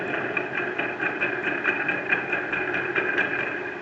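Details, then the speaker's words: VW Gol 1.6 EA111 engine at quiet idle, noise from rear of engine: light squeaky ticking about twice a second from worn water pump whose shaft has play and wobbles. "Olha só o jogo que tá no eixo. Ela fica balançando desse jeito dentro do motor e fazendo barulho,"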